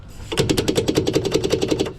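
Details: A fast, even rattle of about ten knocks a second for under two seconds while driving. A loose part rattles; an earlier fix didn't hold, and the cause is unconfirmed.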